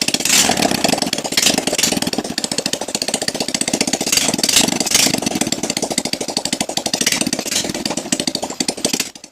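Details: Motorcycle just after piston kit and top-set replacement for thin white smoke from worn rings and valve seals, valves adjusted, 0.8 L fresh oil, run without exhaust: loud raw popping, even firing when blipped; no white smoke, normal.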